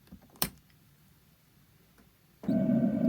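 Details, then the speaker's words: Sun-Lite 16BH camper water heater burner lighting after replacement of the frozen tank and new PEX fittings: sharp click, pause, then a steady roar with a low hum; lights cleanly and produces very hot water. "hopefully you could hear that it kicked on and it's heating up we'll give it a few minutes"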